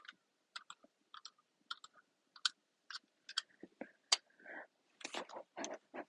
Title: My mouse is making noises